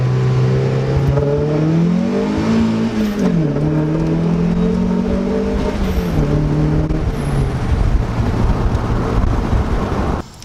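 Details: Car turbocharged with CX Racing V2 kit (different turbo), FMU, after new fuel pump installation, hot day: engine note climbs cleanly through each pull and shift without stumbling or hesitation; normal running under boost.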